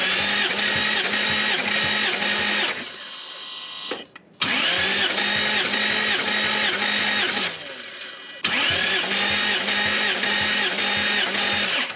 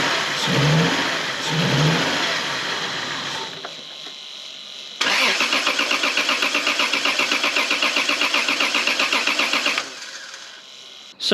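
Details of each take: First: Lexus GS300 2JZ-GE inline-six with slight misfire and blue smoke, compression test cranking bursts with even rhythmic chug; first cylinder 150, all six consistent, rings judged fine. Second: Lexus GS300 2JZ-GE inline-six after coil wiring work: starts and settles into lumpy, uneven pulsing idle, sounding like it's missing on a cylinder and worse than before; owner plans new coils, plugs and leads.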